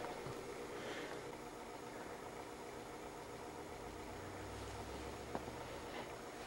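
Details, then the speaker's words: CED videodisc player after automatic caddy load: faint, steady smooth whir of the disc spinning up into play, no scraping or knocking; normal operation. "slide it in the front you can see it pulls the disc in takes out the caddy and then pushes it out and it loads and goes right on the spinning"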